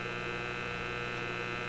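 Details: Simplex antique vacuum tube radio after fixing the Magic Eye tube B+ problem and raising it off low-voltage supply; constant low buzzing mains hum from the speaker with a thin whine on top, unchanged throughout; Magic Eye voltage reads 122.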